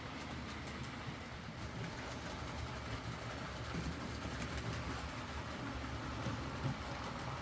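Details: Used Hornby R2959 Thompson L1 2-6-4T in BR Apple Green running on the layout after the fix: even, steady rolling hum, soft rail clicks, no grinding. The earlier forward grinding came from the double gear lifting against the worm gear; greasing the worm gear cured it.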